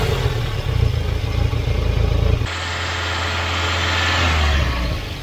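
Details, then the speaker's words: Volvo 940 Turbo after fitting a replacement fuel pressure regulator: catches and idles a touch high at first from excess fuel left in manifold and cylinders after running rich, then evens out smoothly with no misses or knocks. "she's hiding a little bit high but there would have been loads of extra fuel in the in the manifold and in the cylinders from where it was running so rich"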